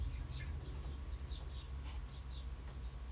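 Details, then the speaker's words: Retro Kona Kula mountain bike disc brake being set up: light, squeaky chirps about twice a second as the wheel spins while the caliper is snugged, rotor rubbing the pads; rotor slightly bent, straightened with a spanner. "I normally do the top bolt first, sort of snug that down a little bit, and then spin the wheel and listen to the brake rub."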